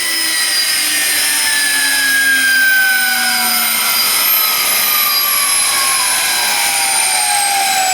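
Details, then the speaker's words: Fischer Dottikon 7" x 59" center hole grinding machine, air spindle coasting down after braking: high, smooth whine slowly falling in pitch, no roughness or knocking; spindle runs healthy. "Sounds good too. Spin it up one more time? Probably should."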